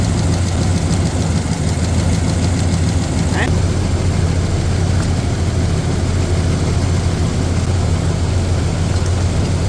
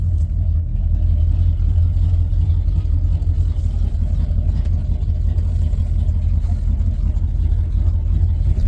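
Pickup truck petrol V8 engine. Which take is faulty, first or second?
first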